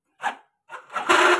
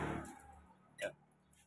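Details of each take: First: Yamaha Mio GT scooter electric starter: short, harsh rasping grinding bursts with no proper cranking beat, and it is heavy and won't lift the engine; the starter dynamo, its brushes or its housing are suspected. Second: Yamaha Mio GT scooter starter, previously rough and heavy, cranking after the starter motor was disassembled and reassembled with cover marks aligned; two short, smooth, even cranking bursts with no grinding, starter now working normally.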